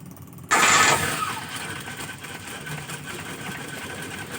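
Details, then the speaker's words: Car cold start right after fitting a TCI pulser ignition module in place of the CDI/delco CDI: short crank, engine catches at once and settles into a steady, even cold idle; normal cold start. "Nah, nyala ya. Ini kondisi mesin dingin. Oke, kondisi mesin dingin. Ini kondisi mesin dingin langsung nyala ceker."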